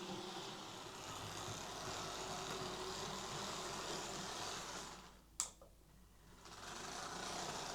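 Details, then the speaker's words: Bachmann Class 24 model locomotive: small motor whirs steadily with a quick, uneven clicking rattle of about four per second. Suspected drive shaft issue, not confirmed. "He said it runs but makes a sort of clicking, rattling sound. Let's have a listen."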